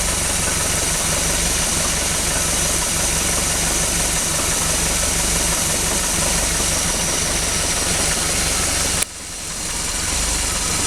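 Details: 1976 MerCruiser 3.0L after complete tune-up, rebuilt carb, dwell and timing set: still idles rough, uneven lumpy idle with loose irregular beat over a steady drone; cause not evident.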